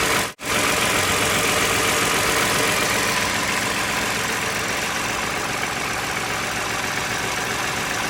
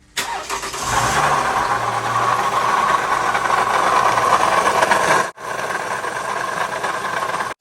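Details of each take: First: 2011 Toyota Sienna engine after water pump replacement (pump removed, surface cleaned, new pump installed); previously noisy, now a steady, even idle with a smooth hiss and no knocks, ticks or whine. Normal idle. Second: 2011 Toyota Sienna in for water pump replacement: engine fires and idles with a raspy, gritty whir over the idle that tracks engine speed, pretty noisy. Worn water pump bearing.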